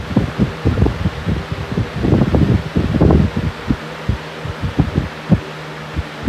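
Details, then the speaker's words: Fan at full power gives uneven pulsing low thumps several times a second over its hum; fan wobble, owner suspects the blades are out of balance. "it's just taking a little bit of these stinking blades around the balance I do have one foot in it"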